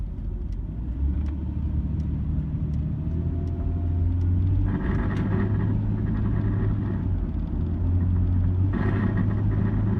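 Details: 2002 Nissan Xterra while driving: the engine drone rises and falls with the throttle, and a harsh metallic grinding/buzz from under the passenger-side floor flares near 2000 or 3000 RPM; a mechanic said exhaust rattle, while the owner suspects metal grinding.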